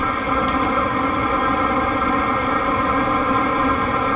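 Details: Diesel heater running with no exhaust muffler fitted: loud, steady droning hum with a harsh buzzy edge and no pulsing; loud exhaust from missing muffler.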